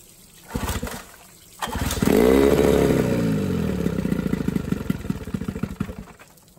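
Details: Johnson 9.9 outboard after carburetor kit rebuild and new NTK BZ7HS-10 plugs: pull-start, then catches and runs with rising steady beat that slowly settles; starts and runs fine.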